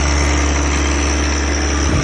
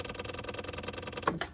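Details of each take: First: John Deere 1023E diesel tractor accidentally filled with gasoline and started; main tank siphoned, but some gas remains in the line; system primed. First start is rough and smoky, a heavy uneven beat that settles and drops off. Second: John Deere 1023E diesel tractor, engine off, after petrol contamination was drained: quiet, fast, even ticking at about twelve per second as the electric fuel pump primes the system. Normal, no leak.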